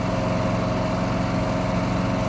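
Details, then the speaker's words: Briggs and Stratton 7.25 gas engine on a self-propelled walk-behind mower. It previously would not start and backfired; fuel replaced with fresh gas. After repair it idles with a steady, even single-cylinder drone holding one speed without stumbles; normal idle. "so we'll do a few more vlogs and on other stuff but this one seems to be doing okay so i'm happy"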